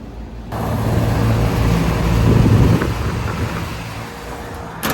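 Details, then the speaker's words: Oversized Trane multi-stage rooftop unit, startup after retapping the 24 V transformer from 240 to 208 V: kicks on into a deep, steady hum that swells and settles, no grinding or chatter; clean normal startup. "So that sweet, sweet sound of a startup."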